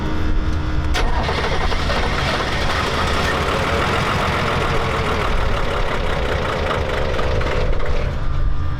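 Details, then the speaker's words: Diesel truck restarted with fresh diesel: cranks, catches and runs roughly a few seconds, then winds down and stalls; air in the fuel system suspected, not confirmed. "I would say that ran down, not ran up, or ran. Well, you gotta get all the air out."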